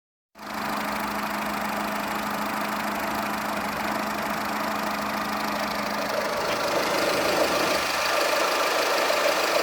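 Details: Skoda Fabia 1.4 16V 63 kW idling: an uneven, lumpy beat with exhaust coughing dropouts and engine shaking but no RPM change. Caused by a faulty cylinder 1 ignition coil; replacing it fixed the problem. Misfire at idle.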